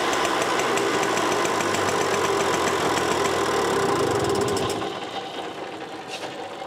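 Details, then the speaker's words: Green automatic two-speed Pappa Tunturi moped with centrifugal clutch, after carburetor cleaning: fast, even two-stroke buzz held several seconds before revs drop; runs properly again, jet still to be fine-tuned on test drive. "Yeah, now it seems like it should be left almost without putting the covers on and go for a test drive there and adjust the nozzle a bit so that it runs as well as possible."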